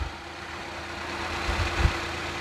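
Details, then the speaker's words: Suzuki Carry with complaints of shaking, overheating and hesitation under acceleration, after repair, idling with air conditioning switched on: steady, even idle with faint constant AC hum, no shaking; normal idle. "เปิดแอร์ก็จะอยู่ประมาณนี้นะครับเสียงเครื่องยนต์ไม่มีไม่มีสั่นนะ"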